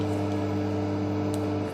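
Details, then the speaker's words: Homemade amplifier converted to class AB with DC offset drifting up and down: steady low hum with evenly spaced tones from the speaker; leaking DC offset suspected. "Ini saya mau coba sebentar saja karena berdengung seperti ini. Nah, di sana ada dengungan kecil di speaker."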